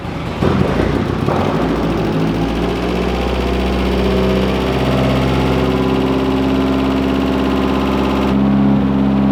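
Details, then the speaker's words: AE86 drift car, slow cranking: starter turns the engine over at about three turns a second with a laboring whine, not enough RPM to build oil pressure; insufficient starter power, more current to starter needed. "otherwise I'm just going to kill it because we're not seeing enough RPM to actually get more pressure"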